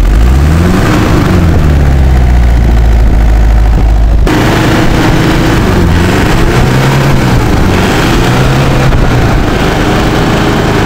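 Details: Old Isuzu Panther diesel that kept stalling as if air-locked, after clearing dirt that clogged the fuel line and pump and bleeding air: it clatters into life and settles to a steady, even idle with no stumbling or dying.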